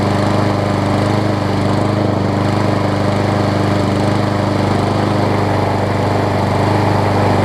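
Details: Scotts self-propelled push mower with Briggs & Stratton Quantum engine, about 6.5 hp, after carb clean and air filter refit, having sat a while: loud, even drone at constant speed, no surging or sputtering; engine running clean.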